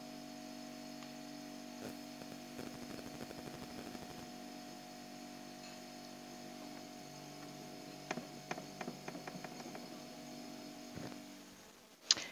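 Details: Refrigerator compressor after a capillary clog during freon charging was cleared; the filter is warm again, the reading is at 6 and refrigerant is flowing. Quiet, steady low hum with a few light handling clicks; normal running.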